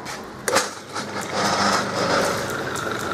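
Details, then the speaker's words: Holbrook B9 drive after the motor was reversed, cleaned and serviced, a reamed 15 mm pin fitted to remove play, and the belt tensioned so the frame stopped rattling: after a start-up knock, a smooth, even, quiet hum; normal running. "I just tension that there that uh frame isn't rattling anymore and that's running really nice so there you go"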